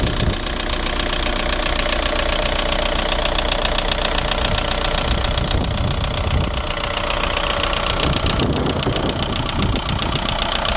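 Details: VW 1.9 TDI (ASV, 110 hp) diesel idling with a heavy, steady knock about two or three times a second under the usual clatter, found to come from the bottom end; no definite fix found.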